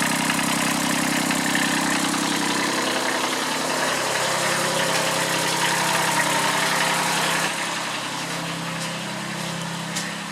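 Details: Kubota B7001 diesel tractor, about 10 °C, just started after two months unused and a hard cold start, in neutral: steady even clatter at about 214 beats a minute, smooth idle; normal diesel idle.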